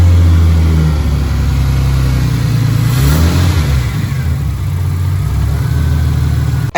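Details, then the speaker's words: Ford AU Falcon running after about two months of fixes, idle screw adjusted, fluids topped up, steering pump quietened; even idle rising into clean rev and settling, no popping: normal idle and revving. "but there we have it it's idling on its own doesn't sound bad at all"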